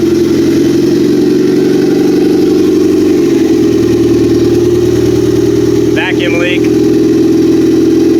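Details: Built Honda F23 turbo four-cylinder petrol engine on its first start after a fuel leak was found: idles steadily, settling to a slightly lower even idle, sounding healthy; now to be heat cycled for ring break-in.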